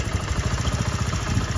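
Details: 2024 CD 70 motorcycle with head noise when hot, after tappet valve clearance adjustment: even, low, steady idle thump with no ticking from the head; engine idles cleanly.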